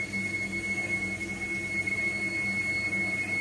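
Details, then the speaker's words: Gas combi boiler with no-hot-water fault, hot tap opened for demand with temperatures set to maximum: burner now lights (previously failed to) and fires steadily at high rate, a steady low hum with constant high tone, no surging or banging; normal high-rate operation. "We do appear to be on high rate. We can hear it running at high rate."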